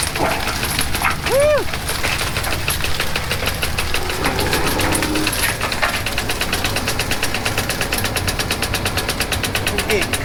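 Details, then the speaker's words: Delimber in hot weather: rapid, even chain slapping at about six hits a second over the running engine, steady and unbroken; it is now delimbing properly. "y'all saw how it was the other evening now y'all see how it is that's how it's supposed to be this baby doll fixing d-limb like crazy son"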